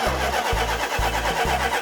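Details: 1972 Dodge Charger Rallye cranks with a steady chug and occasional pops but never starts; spark plug wires in the wrong firing order cause the misfire.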